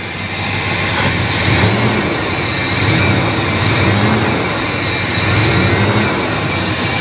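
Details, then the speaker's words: 1966 Ford Country Sedan station wagon, first start in about 20 years: just after firing, revs sag and waver unevenly, then catch when blipped. The engine is stumbling and nearly dying. "oh oh it's running um oh it's kind of dying"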